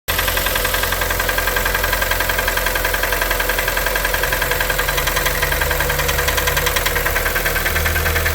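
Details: 2012 Kia Forte 2.0L petrol engine at idle with a steady hollow knock three to four times a second, started around 166,000 km and driven another 4,000 km; suspected piston slap, not confirmed.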